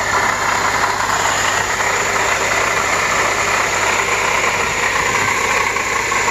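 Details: Acura TSX after tensioner and serpentine belt replacement: steady whirring rush with a faint whine over an even idle, no knock. Owner first thought power steering pump, then fitted a new water pump. Water pump bearing noise.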